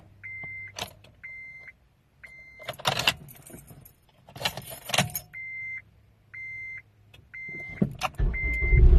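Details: 2006 Acura RSX Type S that intermittently won't crank or click, battery fine: repeated door chimes and key attempts bring only short scuffing bursts and no cranking until it finally catches; a faulty starter.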